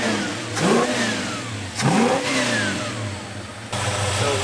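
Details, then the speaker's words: 1973 Plymouth Scamp V8 freshly revived after sitting since 2004: light throttle blips make the revs rise crisply and settle cleanly back to idle, and it needs very little input. Runs smooth with a mild cam lope. Healthy throttle response. "it runs good it's smooth it's uh it's got a little bit of a cam lobe to it it it's zippy like when you when you tap the throttle it uh the revs come right up"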